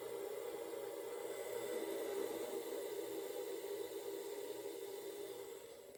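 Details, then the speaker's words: 1960s Rootes Tempair portable air conditioner just switched off: soft steady hiss with faint gurgle of R12 refrigerant falling through as pressures equalize; normal after shutdown. "definitely hear that R12 falling through there."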